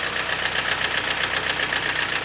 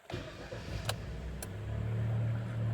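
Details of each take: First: 2012 Kia Sportage G4KD, manual, AWD, 176,000 km, at idle: sharp, evenly spaced metallic knocks over the idle keeping time with engine speed; piston slap from scuffed cylinder walls. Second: 2012 Kia Sportage G4KD, manual, AWD, 176,000 km, first start after block sleeving and piston repair for heavy knocking: fires and settles into a smooth, quiet, even low idle with no knock or ticking; healthy.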